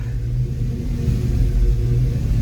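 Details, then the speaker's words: Foxbody Mustang just swapped from the stock upper and lower intake to a GT40 tubular intake: a V8 with a choppy, surging idle that rises and falls and stalls as soon as the foot comes off the gas. Fuel pressure is good at about 43–44. "I got a choppy Idol on this car surging I guess is what it is that it stalls"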